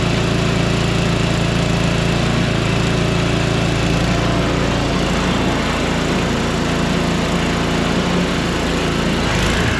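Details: Small single-cylinder engine, running after priming with fuel shutoff opened: steady even fast putter, no misses; holds speed fine.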